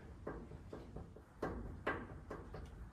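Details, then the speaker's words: Chevy C10 pickup wheel rocked by hand: dull irregular clunks, a couple each second, showing play at the hub; suspected wheel bearing. "So, just doing a little bit of a test here to see if there's a play Ooh, we are getting movement there. That feels a whole lot like wheel bearing."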